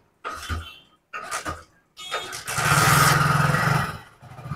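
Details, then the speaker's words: Hero HF Deluxe BS6 motorcycle, no malfunction light: two short cranking attempts, then it catches, revs briefly with fluctuating RPM and dies; poor throttle response, hard starting and stalling when accelerating, fuel pump pressure to be checked. "Bike का throttle response खराब हो रहा है। RPM में उतार-चढ़ाव हो रहा है। देखो, बाइक सुचारू रूप से स्टार्ट भी नहीं हो रही है। बाइक बंद हो जाती है।"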